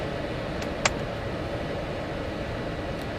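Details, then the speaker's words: 1992 Mercedes-Benz 400E W124, blower motor tested on auto/high during monowiper repair: steady even fan rush, no rattles, squeals or scraping; blower working normally. "This one, the blower motor is working. Let me just put that in there so you can hear it. Working nice."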